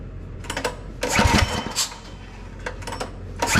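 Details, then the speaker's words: Go-kart small single-cylinder engine after stage 1 performance kit install, first start on the ground (fuel still priming): catches in ragged bursts, sputters and dies between tries, never settles; hard starting. "All right, we have it on the ground. See if it'll fire up. It isn't liking something."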